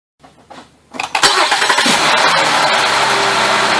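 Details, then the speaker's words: 2006-2009 Mercury Milan 3.0L V6 after new spark plugs: quick crank, catches cleanly and settles into an even, smooth idle with no misfire or stumble; runs really nice. "Sounds like it runs really nice. I'm calling it good."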